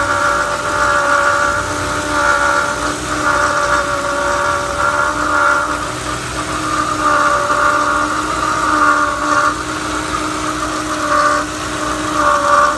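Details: 2011 Ford Crown Victoria 4.6L: steady, high whining hum with a rough edge over a smooth idle from a failing water pump bearing; on replacement, failure appeared imminent.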